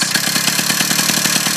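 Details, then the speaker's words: 2-stroke motorized-bicycle engine idling with clutch pulled in after first start, idle thumb screw turned in for more air and fuel: high, buzzy beat pulsing quickly and evenly at a slightly raised idle, running clean. "can hear the motor revving more so allwing more air and gas into the motor"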